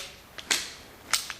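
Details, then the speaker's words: Latch after cleaning and oiling all pivots, including the lock button pivot, with the PY latch fix kit: a few crisp, clean snaps as the latch swings and catches, no grating or dragging; latch operating freely. "It's got nice movement again."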